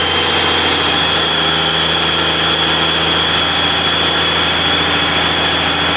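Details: 12-valve Cummins diesel warmed up about 15 minutes for head stud re-torque: even, steady idle with constant clatter, no misses or knocks; healthy warm idle.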